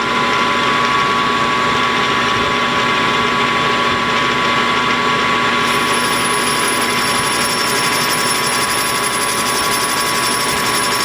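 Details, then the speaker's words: Hobby lathe facing a Kerzel model engine flywheel, 10 thou cut with a resharpened, larger-radius tool angled in: steady, even cutting hiss with a clear high ring and no chatter; clean, normal facing cut. "That's better. I don't know if it cleaned up yet. It might have."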